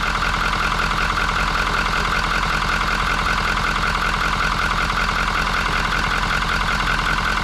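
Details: 2019 Ford F350 6.7 Powerstroke diesel, 88,000 miles, after replacing clogged CCV crankcase filter that caused crankcase pressure, oil and smoke: steady, even idle clatter, no surging or knocks, no crankcase pressure; turbo still damaged.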